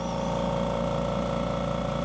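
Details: Bella Micro machine in aspiration mode, pressure at maximum, handset occluded: steady low hum with fast, even pulsing and faint whistle of air into the handset; primary vacuum 21–22 inches, a good number, pump healthy.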